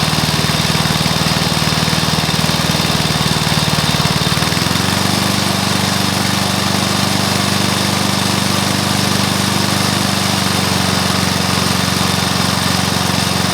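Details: Briggs & Stratton mower engine (believed early 1984), first start after rebuild with new piston, rings and valves for oil consumption (loose rings, worn valves); steady even beat, steps up in speed around four seconds and holds smoothly; normal running.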